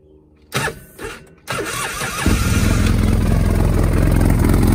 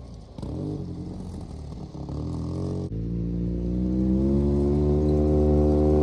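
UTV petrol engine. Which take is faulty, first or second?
second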